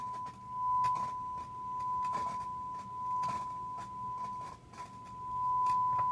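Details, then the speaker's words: Marantz 2250B receiver after power switch replacement, test tone playing: irregular crackles and pops on both channels from the dirty selector switch, cleared by spraying DeoxIT D5 and working it back and forth; dirty selector switch crackle. "we're going to clean the switch it's definitely dirty you could hear the crackling"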